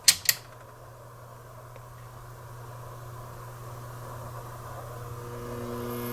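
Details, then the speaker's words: Vintage Marantz 2265 receiver, cutting out for years, now no audio output: two switch clicks then a steady low swelling buzz from the speaker protection relay chattering; bulging capacitors on protection board suspected, replacing all electrolytics fixed it. "That buzzing noise is the speaker protect relay chattering."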